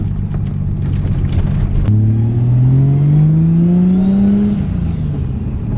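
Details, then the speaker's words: Nissan 180SX on a test drive after a rear differential swap, pulling under boost: engine note climbs evenly with no whine, clunks or crunches from the rear or gearbox; smooth driveline, and the earlier diff whine is gone. "Right. No noise. Noise is gone. Can't hear anything, no whine at all."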